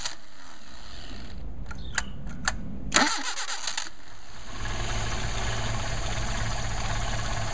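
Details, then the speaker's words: Mercedes 190SL with freshly rebuilt Solex carburetors, stone cold engine on about 90-degree day, choke not really needed, couple of throttle blips: clicks, cranks, fires at once and settles to smooth even idle. "got a stone cold engine um so we're gonna we don't really need the choke it's like about 90 degrees out right now but there's a choke actuating um should just take a couple of blips of the throttle let's give it a shot here"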